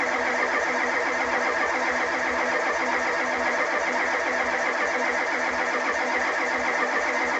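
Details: 1985 Ford F250 6.9 IDI diesel, 4-speed manual, unstarted 4–5 days at down to −27°C, −17°C today, frosted engine: starter grinds over at steady slow pace for seconds, no firing; cranks but won't start, owner suspects gelled fuel, no anti-gel added.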